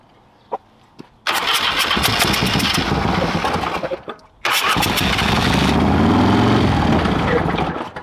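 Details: Old Harley-Davidson, compression release set, battery installed the day before: two long bursts of cranking, turning over evenly but never catching; fuel on, the cranking overheated the ground and a new battery was needed.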